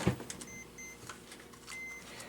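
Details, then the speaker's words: Power supply from an abandoned 1990s eMachines desktop on a PSU tester: short high-pitched beeps, a close pair then another after a pause; flags a low-voltage rail, low only because that rail doesn't exist on this supply. "Beeping usually means it's low voltage, but it needs to detect. So, yeah, that's a little bit low, but this one's low because it doesn't exist with this power supply."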